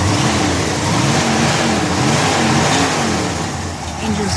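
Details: Restored 1969 Pontiac GTO V8, 4-speed, on pre-purchase inspection, hot day, cold start, oil clean and full; steady even burble with smooth unbroken rhythm, no knocks or misses; engine sounds pretty tight; normal idle.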